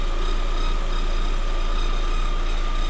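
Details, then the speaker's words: 2021 Lada Vesta, about 3000 km, at idle: constant high whistle over steady idle, owner suspects alternator or idler roller, unconfirmed; tolerable, no service visit yet. "вот такой вот свист но в принципе пока терпимо"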